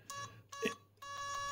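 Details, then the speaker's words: Homebrew 1979 dual 0-30V 0-1A linear bench power supply: short high-pitched beeps in quick bursts, the audible current-limit overload alarm sounding when output is overloaded or current limit turned down. "tronics and then suddenly you hear this beep beep oh something is probably overloading so that is probably what it's doing"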